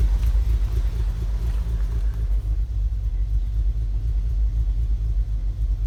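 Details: 2015 VW Golf R DSG, APR stage 2, idling in park or in drive on the brake, cold or warm, with the needle jumping: lumpy, uneven idle that surges and dips as if about to stall.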